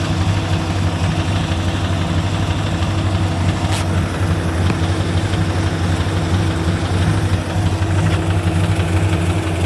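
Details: Engine with Comp Cams XR270HR camshaft: deep, uneven lopey idle with a dull knock about three a second; possible rod knock but cam lope muddies it, cause not confirmed.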